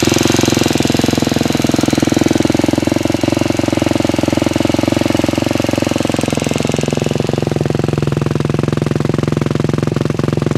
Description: hi i have a ktm 250 sxf 2006 and i noticed there is a cliking noise but i dont know what it is.